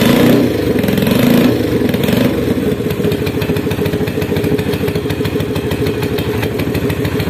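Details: Motorcycle running on a dead spark plug emergency-revived by breaking away its ceramic, with the spark now jumping to the nearest negative: the engine catches and settles into a steady, even putter with regular firing pulses and no misses.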